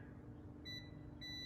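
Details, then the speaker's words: 2011 Chevy Malibu with P0013 exhaust B camshaft actuator code: multimeter continuity beep twice on the intake cam solenoid used for comparison, reading about 11 ohms, coil intact; the exhaust cam solenoid reads nothing, open circuit. "So even if I'm just missing it once in a while and just touching it, you'll hear it. There you go, I got a good 11.2. Looks like we're right about 11 ohms."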